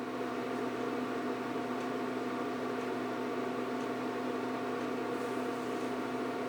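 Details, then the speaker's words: 1999 Mercedes S-class door-lock PSE pump on a bench test with a deliberate small leak at the pressure reservoir: a steady airy hiss over an even motor drone as the pump keeps cycling. This pressure leak can burn out the motor. "Pressure is escaping. I don't know if you hear hissing. You hear how the pump cycles. This is pressure leak."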